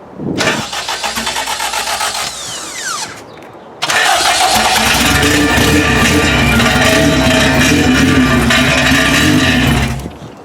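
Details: K20-swapped Honda EK hatch, first start after oil priming: quick even cranking, a brief catch that dies, then it fires and runs rough about six seconds before stalling; not enough idle air.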